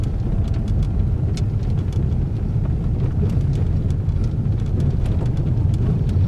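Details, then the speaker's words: Peugeot 3008 with THP engine, after repairing a front suspension knocking noise: test drive on the test street with a steady low road rumble and no knocks or clunks over bumps; the suspension noise is gone. "galera local livre de barulhos é a batucada que tinha suspensão e sumiu"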